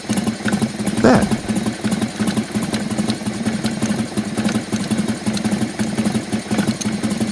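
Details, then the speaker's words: 1996 Harley-Davidson Softail EVO engine after a no-start fix: uneven V-twin idle with loose metallic rattle on each firing pulse, like a metal ball rolling inside; internal rattle, cause unknown. "like there's a metal ball rolling around inside my engine ah that doesn't sound good"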